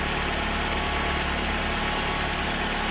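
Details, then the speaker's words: Engine after clearing codes and installing a new air box: smooth, steady idle with no stumbles, surges or misses; earlier the problem appeared about a minute after starting. "now beforehand when i did this it took a minute or so for the problem to start happening i'll tell you what that sounds pretty darn smooth"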